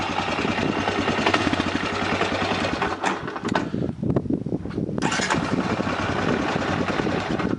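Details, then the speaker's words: Honda ATV after rebuilding the factory starter with new brushes. The starter catches quickly and the engine fires and settles into a steady, even idle with no grinding or misfire; normal start and idle. "all right well does it start let's find out yep sounds good"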